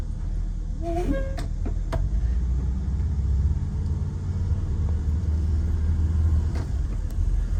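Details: Prevost bus, Detroit Diesel 8V92TA DDEC2, no check engine codes, pedal to the floor: deep flat drone that barely climbs, surging and labouring, max 15 psi boost; faulty injectors, new injectors cured the surge and gave 22 psi.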